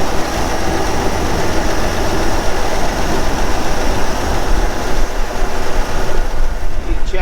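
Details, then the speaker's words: Old boat inboard engine on a lake trip: uneven stumbling chug with cylinders dropping out and not firing; misfire, bad plugs suspected. "Do you think the Oh, yeah. That was definitely not firing. We got no compression or what? This one don't seem like it's firing either."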